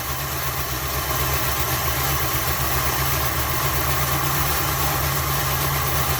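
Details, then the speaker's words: 1981 Dodge B250 Ram van V8, first start after 8–10 years parked: loud, uneven, lumpy, stumbling idle, seemingly not firing on all cylinders. Rough running; owner thinks it isn't getting enough fuel and the carburetor probably needs rebuilding. "Definitely not getting enough gas. That carburetor probably needs to be rebuilt."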